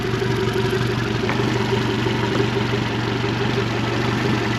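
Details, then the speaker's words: 2017 Suzuki DF115 four-stroke outboard, overdue for service, previously missing, on flush water right after new spark plugs: steady even low idle, no misses or knocks, sounds better and healthy. "Started. See if she sounds any different. Fire up sound a little bit better."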